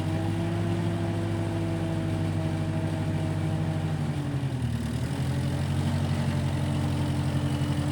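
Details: 1955 Massey Ferguson MF65 tractor, run after sitting a couple of years, carb cleaned; owner thinks the Marvel Schebler carburetor needs slight dialing in. Steady low chug, even firing with a brief dip in revs, then smooth again: normal running.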